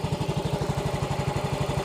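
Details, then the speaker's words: Yamaha X-Ride 125 scooter with Diasil cylinder, after engine rebuild for rough engine noise, still in break-in: steady, even putt-putt about ten pulses a second, no knocking or clatter; noise gone; normal idle. "sudah Enak suaranya sudah sudah hilang"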